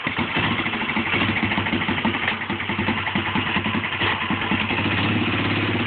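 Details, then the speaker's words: 1957 Cushman Iron Eagle single-cylinder engine after fixing ignition timing via slotted stator plate, which had caused a mid-powerband flat spot. Pops along steadily with even beat, no stumble or flat spot; running clean. "- you hear there's a major difference in the way it's running"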